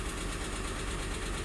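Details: 2007 Ford Explorer Limited, 4.6L Triton V8, under 130,000 miles, idling: steady rumble with faint light clicking, owner says cam phaser; dealer would need to open the engine to confirm.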